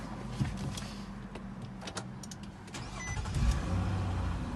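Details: 2008 Nissan Altima with push-button start, right after smart key programming: brief crank, then the engine catches and settles into a low, steady idle with no stumbling; normal clean start.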